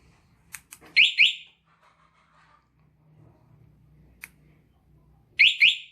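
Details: Motorcycle with a newly installed remote alarm and starter, during a vibration-sensitivity test with a single-beep setting. Two quick high chirps, a gap, then another pair as the bike is disturbed; the vibration sensor is triggering the alarm.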